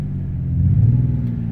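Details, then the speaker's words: Ford Escape V6 (stated as 93) at 26 degrees, running on five cylinders with a #3 misfire from a completely failed ignition coil: low lumpy rumble that swells and sags, skipping and bogging; check engine light follows. "and I'm only running on six or five cylinders"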